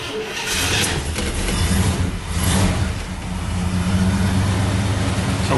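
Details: 1979 International Scout II, 345 four-barrel V8 with carburetor fitted around 2001, about 56,740 miles, sat since 2001; catches quickly and settles into a steady, even low rumble with no knocks or misses, normal healthy start and idle.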